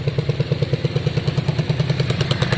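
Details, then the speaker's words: 2002 Yamaha Virago V-twin after carb cleaning, both cylinders firing: steady, even idle thump with the odd small exhaust pop; light intermittent spit at idle, owner suspects the CDI. "It's not shocking, it's idling fine, both cylinders seem to be on. It does have a little spit here and"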